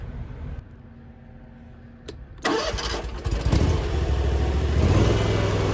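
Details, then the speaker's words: Hustler Fasttrack SDX mower with what are thought to be Oregon high-lift mulching blades, engaging the blades for a comparison with and without X-blades: quiet idle, a sharp clutch click, then the deck spools up with a rush of air as the engine takes the load; normal engagement. "next I'm going to do a quick thing is starting the blades on the machine so you can hear what it sounds like when it kicks in without the X blades and the difference how much strain it puts on uh with the X blades"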